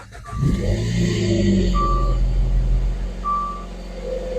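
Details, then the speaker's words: 2013 Dodge Dart after replacing the driver-side transmission mount: engine cranks, starts and idles evenly with no clunk, only a chime beeping; sounds much better, other mount still needs replacing. "definitely sounds a lot better so far even just sitting here idling"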